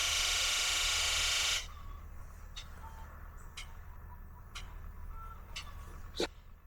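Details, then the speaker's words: International DT466E diesel truck, cold engine, cold-start misfire that clears when warm: injector buzz test with the hydro-booster backup pump disconnected; a rush, then sharp clicks about once a second, with only four of six injectors sounding (first two and last two). "Vieron, solamente cuatro inyectores están sonando, los dos primeros y los dos últimos. Y esto es el motor en frío."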